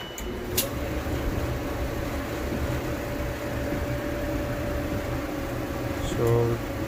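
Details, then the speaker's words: Electrolux dryer after blower motor assembly replacement cured a grinding noise: smooth, steady motor hum with even drum rumble, no scraping or grinding; dryer running normally. "more noise looks like it's running pretty pretty smooth"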